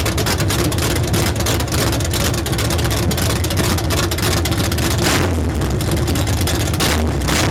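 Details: 383 stroker V8 with a Comp Cams XR282HR cam: loud, lumpy idle that loses rhythm and surges unevenly; rough idle, cause uncertain.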